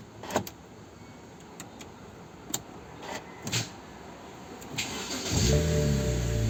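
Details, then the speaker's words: 2010 BMW Z4 after the faulty camshaft position sensor was replaced (intake/exhaust camshaft codes P0340, 2AA0, 2AA1): clicks, then a quick catch to a steady idle, so the long crank time is fixed. "Voila. No more long crank time."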